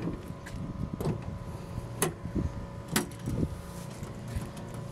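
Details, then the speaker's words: 1999–2006 Chevy pickup tailgate after new rubber hinge bushings were fitted: a few dull thuds as it is worked, with no sharp metallic rattle. It operates much smoother, though it is still slightly loose from age. "oh yeah still a little Loose by also from the age from the rattling but much more smoother so there you guys go hope you enjoyed it"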